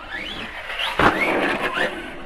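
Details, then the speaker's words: Arrma Kraton 4S RC car: the motor whine surges and drops away in jerky bursts, stuttering intermittently, then dies and will not go forward or reverse. The fault was found to be a bad ESC. "it just starts stuttering i'm not i'm hoping you guys could hear that or you know see what's going on"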